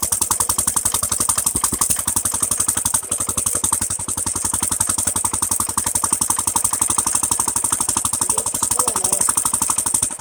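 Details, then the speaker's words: Nearly 100-year-old Standard Monarch tractor, freed from seizure, fuel tank cleaned, new carburetor and spark plug fitted: crisp, even firing beats, fast and regular with no misses or knocks; normal running. "I am super impressed it went from you know stuck froze up not running to this in less than a week so yeah"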